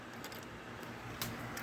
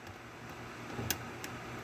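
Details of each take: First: and see, hear that clunky noise? It made a clunky noise when I put it down. Now that means that the bobbin case is not in there properly, and that it's going to nest like mad. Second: Class 15 bobbin in a removable bobbin case: sharp pop as the case snaps properly into the sewing machine, then fainter ticks; no pop means it isn't seated.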